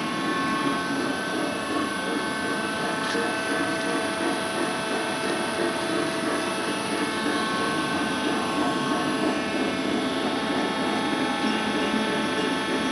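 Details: Worm screen centrifuge test run after repair of bad vibration: the worn main drive bearing diameter was machined and sleeved, and the main drive and gearbox bearings replaced. It gives an even, steady roar and hum with no knocking or surging.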